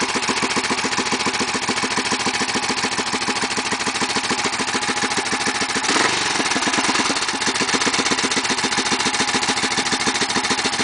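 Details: BSA B50 started after sitting 7 months: steady, even idle with regular firing beats and no misses or stumbles; settles and holds smoothly, no hard starting.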